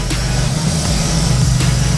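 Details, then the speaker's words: Mazda RX7 with 302 V8 just converted from Edelbrock carb to FiTech EFI, first-start warm-up idle around 900 rpm, vacuum 18, coolant 82 climbing, AFR about 13.5, trim 21%: steady low burble, even firing, no stumbles; sounds good. "and the AFR trim percent is 21 dang that's crazy I mean it sounds pretty good that's wild that's really cool"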